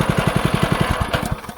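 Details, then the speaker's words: DeWalt 3200psi pressure washer with Honda GX200 engine, after carburetor cleaning following a year of sitting, running outside on water hose; quick even clatter of about eleven knocks a second over the engine from a loose handle, engine running nicely. "He's running real nice. You heard all that rattling. This handle's really loose."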